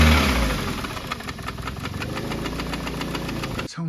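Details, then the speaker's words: Engine knock with equal compression on all cylinders, bent valves ruled out, and tappets, belts and auxiliaries checked after an oil refill; there is no knock while cranking. A sharp ticking knock at about 4 per second over a ragged idle. Owner suspects a failed hydraulic tappet, unconfirmed. "really top Endy as if the hydraulic taets have just not got your in them or something or one of them's failed or something and it's just a noise"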